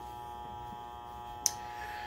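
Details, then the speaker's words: Steelcase Polyvision PJ905 short-throw DLP projector, dusty, with speckled image: steady high-pitched whine, constant hum and a single sharp tick; technician suspects a bad color wheel and bad DLP chip. "this particular one I believe has a bad DLP chip ooh and what sounds like probably a bad color wheel"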